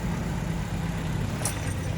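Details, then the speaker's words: Engine idling around 500 rpm while otherwise having plenty of power, possible misfire suspected: low, lazy idle rumble with a slow, slightly uneven pulse; idle speed too low. "she not running 100% she got all this power she's ready to go but it's just when it idles it it's idling it like 500 RPMs this is crazy yeah something is going on with the island"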